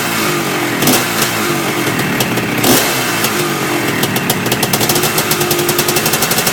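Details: Yamaha IT490 two-stroke after engine install and rebuild, running 40:1 premix after a few heat cycles, with a temporary silencer stuck on; loud raspy popping with quick throttle blips, then a steady, even crackling idle, healthy.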